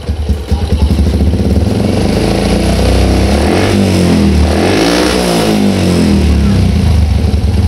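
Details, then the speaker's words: Old Yamaha Jupiter MX motorcycle on a cold morning after replacing the faulty automatic fuel valve, which had caused misfiring and hard starting: it starts first press, idles light and steady, and picks up cleanly on throttle blips. "sekali tak starter langsung hidup dan enak temen-temen enteng langsamnya juga enak"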